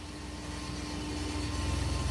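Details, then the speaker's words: 1986 Chevrolet Silverado 4.3 V6 with throttle body injection, about 71,000 miles, injectors rebuilt, new thermostat; steady idle with a constant high thin whine over the engine, possible dead plug suspected; loud fuel pump. "that damn fuel pump loud, boy."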